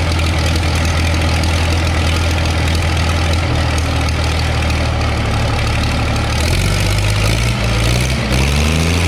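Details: Case 930 diesel tractor idling after exhaust manifold patch repair: heavy idle with sharp ticking puff on each firing pulse; exhaust leaking past manifold gasket at number four cylinder top side, new gasket needed.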